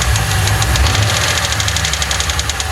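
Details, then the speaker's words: 1995 Lincoln Mark VIII, 4.6 4V Ford V8, returned from shop timing job, came back with no oil and non-original filter; steady sharp metallic knock keeping time at idle over rough rumble, rod bearing knock. "That's a rod. Yeah, it's definitely got a rod knocking."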